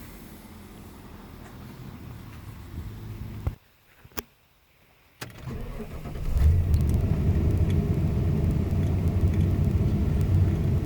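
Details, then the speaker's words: 22-year-old Ford E150 Econoline van heard from inside the cab with AC on: starts and runs as a low even hum, no ticking or puffing; new headers fixed a bad exhaust manifold leak, now much quieter. "right guys so first off I had a really bad manifold the exhaust manifold leak so with these headers on there it's a lot quieter inside you barely hear it running"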